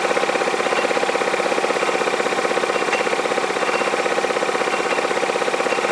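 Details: Yamaha Majesty scooter on the lift with the parking brake on: a steady metallic clank at idle, about two to three knocks a second, in time with the engine. The owner hears it from the CVT clutch area, is unsure whether it is normal, and plans to inspect the clutch and shaft.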